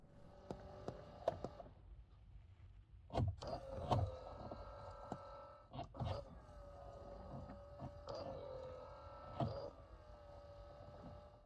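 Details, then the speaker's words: 2004 Honda Pilot, center console side panel removed: a small motor whines and strains in bursts with sharp clicks and clunks, a defective blend door actuator causing buzzing under the dash. "this particular actuator tries really hard but is obviously defective so we're going to go ahead and remove the actuator and take a closer look at it"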